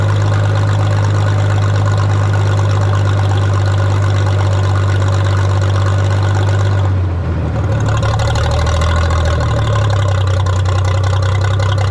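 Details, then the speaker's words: 1962 Minneapolis Moline G704 tractor on propane, first run in years: deep heavy idle with irregular beat, occasional stumbles and a mid-clip sag; owner thinks one cylinder is missing, possibly spark plugs. "Can't tell if it's got maybe a slight mess or I think it is missing on one cylinder out the spark plugs."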